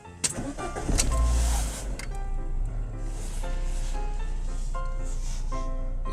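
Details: Fiat Stilo 1.6 16v 2002 after reseating the engine computer plugs to clear electrical errors: short crank, catches in about a second, settles into steady even idle with dash chimes; starts cleanly, no more errors.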